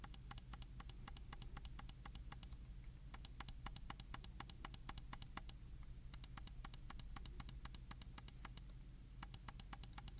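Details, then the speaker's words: Logitech G604 wireless mouse after replacing the double-clicking worn OMRON switch with a Kailh 80M switch, click test: crisp, evenly spaced single clicks about four a second, no doubled clicks; normal click. "So let's go to a click test and see if our clicking is back to normal without double clicks. It should be."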